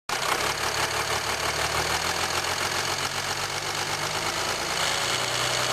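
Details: 2007 Jeep Grand Cherokee 3.0 CRD diesel, camera on the battery: fast, fine metallic rattle over an even idle at steady speed. Owner suspects timing chain rattle on the drive side, unconfirmed.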